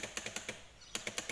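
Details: China-made 125cc fully automatic quad bike (no clutch), abandoned: rapid sharp clicking, about eight to nine a second with a brief pause, as the starter solenoid chatters but the starter motor won't spin; worn starter brushes.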